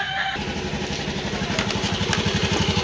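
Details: Honda Beat scooter: rough rhythmic helicopter-like chop, about four pulses a second, from the CVT while revving; mechanic suspects the roller/pulley housing area, unconfirmed.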